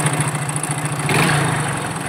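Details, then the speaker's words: Hero Glamour BS4 motorcycle run low on engine oil: it idles smoking, with a loose, rapid clatter under the exhaust beat from bore and crank wear; a full engine rebuild is planned. "దాన్ని check చేసి చూస్తే crank కూడా sound వస్తుంది smoke చూసారా ఎలా వస్తుందో engine sound ఎలా ఉందనేది మీకు చూపిస్తాను చూడండి"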